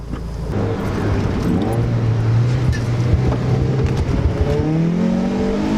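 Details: Car turbocharged with CX Racing V2 kit (different turbo), FMU adding fuel under boost, after new fuel pump installation, hot day: strong clean boost pull, engine note climbing smoothly with no stumble or misfire; runs better, normal.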